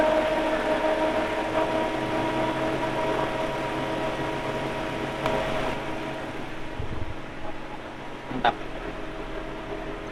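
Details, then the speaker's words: Car radiator extra fan running over the idling engine after its rusted, dragging motor bushing was greased: steady, even whir, and the earlier creaking is gone; normal fan operation. "Nah, setelah dipasang tadi setelah dia dikasih gemuk dan bunyinya hilang."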